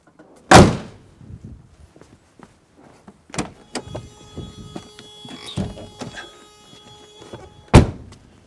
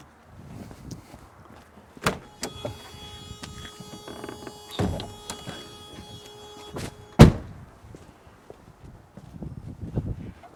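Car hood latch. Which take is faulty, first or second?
second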